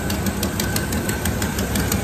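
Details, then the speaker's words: 1973 Chevrolet K5 Blazer V8 that had sat for a long time, idling: sharp, quick ticking puffs about six per second over an otherwise quiet idle from an exhaust leak, later tackled. "so yeah you can hear that exhaust leak it's kind of gnarly but this thing is quiet"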